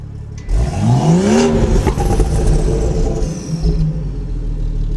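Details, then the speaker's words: Manual BMW 340i with stock exhaust reinstalled over 6" catless downpipe: quick blip sweeps revs up and back, note opens louder and deeper as the exhaust flap opens, normally above 4,000 rpm; exhaust flap opening on rev. "Normally, if it goes over 4,000 RPMs, it opens it."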